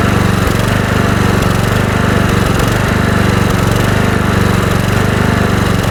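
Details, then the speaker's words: Kohler Courage 20 HP mower engine after carburetor cleaning: hidden mixture screw slotted and enriched to cure lean-fuel surging; now a steady, loud beat holding even speed without hunting. Adjustment resolved the surge; normal running. "Making the adjustment to the carburetor after making the modification did resolve the issue."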